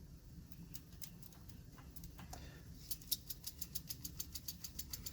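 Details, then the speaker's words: 1956 American Flyer #569 Whistling Billboard accessory motor, likely unused for 40+ years, running live just after lubrication: low hum then about six even ticks per second. Sluggish motor, moving better than before but still slow; armature/field misalignment suspected. "well the good news is it's moving better than it was but still not great"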